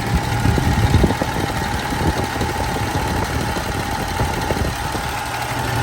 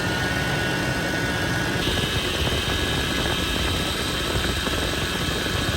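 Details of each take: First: much better and if we actually move it around no more noise that's how you do it guys thanks for watching Second: Toyota 80 Series Land Cruiser (FJ80) engine running, power steering pump: thin constant high-pitched whine from air in the system, bubbles in the reservoir; fix is topping off, running engine and turning the wheel.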